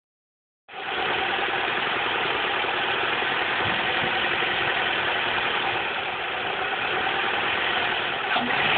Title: 04 Cavalier 2.2 Ecotec timing chain rattle